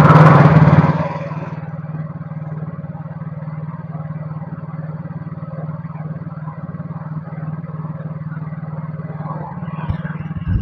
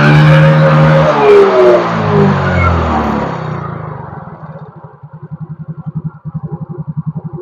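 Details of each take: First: Yamaha Mio GT scooter with faulty idle speed (ESC) sensor: idle starts high, drops to a low uneven putter, flares up again, sometimes stalls; unstable hunting idle before the manual sensor fix. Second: Yamaha Mio GT scooter after replacing the failing idle speed (ESC) sensor with a manual adjustable workaround: revs fall and settle into a steady even putter, about four beats a second, no hunting; idle stable.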